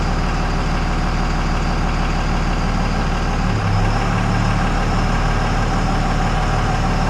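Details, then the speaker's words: 2000 Dodge Ram 3500 5.9L 24V Cummins, mechanical injection, new injectors, rebuilt transmission, after running through gears; deep, steady diesel idle with an even low thrum and no stray knocks, sounds healthy. "Oh, yeah. Sounds good. Looks good. I am thrilled."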